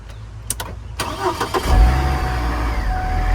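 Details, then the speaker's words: Auction Hummer H3, new battery, fuel just added: starter cranks about four beats a second, engine catches roughly and struggles; gas present but not firing properly, owners suspect air being sucked into the fuel system. "He was having a no-start issue. We had gas, but it just wasn't firing properly."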